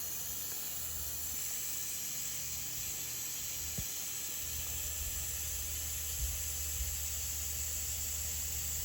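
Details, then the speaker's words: Older Prevost Marathon motorhome conversion: steady, sharp hiss under the coach from the top nylon air line fitting on the parking brake release side, leaking whenever the parking brake is released; air brake line fitting leak. "I definitely hear the air leak under here. I see it better from over here. It's the top one there."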